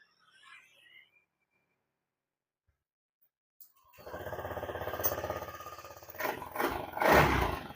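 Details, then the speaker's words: Honda Scoopy scooter that showed 7 fast MIL blinks (cause traced toward the EOT sensor wiring and connector), after reseating the connector: engine starts promptly and settles into a steady putter with throttle blips, and the MIL blinking is gone. "Nah, sekarang sudah nyala ya. Lampu mil kedipan sudah hilang ya."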